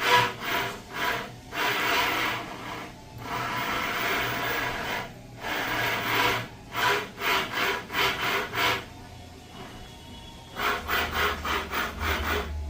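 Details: Volvo S90 electric power steering rack: rough, rasping grinding in repeated bursts as the wheel is worked back and forth, engine off. Rack grinding said to be possibly repairable.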